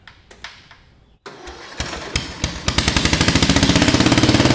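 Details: Lowered Murray riding mower single-cylinder, first run after new exhaust header, full choke, weak battery, starting fluid: a few cranking thumps, catches and settles into quick even bark speeding up steadily; normal start and run.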